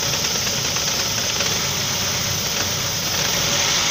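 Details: Saab 9-5 engine at rough idle with a quick, uneven knocking about three times a second over a hissy engine note; started after the car was revved through a puddle and threw its belt. Knock source not pinned down.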